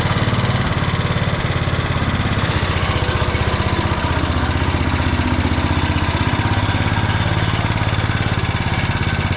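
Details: Old Cub Cadet 106 garden tractor, rescued from scrap after years sitting, belt-wound pull start and run on choke: small single-cylinder engine chugs at a steady low rumble without stumbling, running again.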